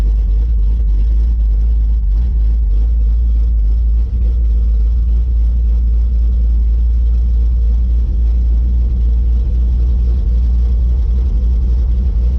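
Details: Red Chevy S10 V8 after MSD box ignition timing was retuned to cure a hesitation, not yet perfect: deep, steady idle rumble with no stumble, miss or surging.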